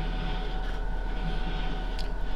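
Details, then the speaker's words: Fisher & Paykel dryer after main bearing replacement: smooth, even hum with steady air rushing and no rumble or squeal; running healthy again after the noisy worn bearing and bronze bushing were replaced. "that's because I've got it blowing straight out there but um so that sounds a whole lot better"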